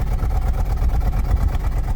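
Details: 2004 Toyota Celsior 3UZ V8, cold, heard at the exhaust out the back: deep idle with uneven, lumpy pulses. Rough idle that smooths out when revved to around 2000–3000 rpm; cause not yet found.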